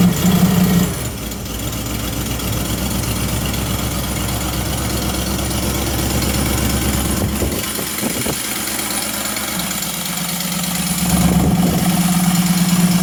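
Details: Rebuilt Ford 351 small-block V8 on an air compressor (new rings, rods, timing chain, pump, bored 30 over), cold start on choke: catches, settles into a steady even idle rising slightly as it warms, no knock or tick; normal cold start and warm-up idle.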